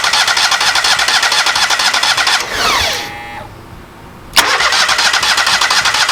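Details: Kohler EFI engine, cranked before fuel had been fed to the pump canister: fast, even starter chugs, a stop, then more cranking with no catch; cranks but won't start.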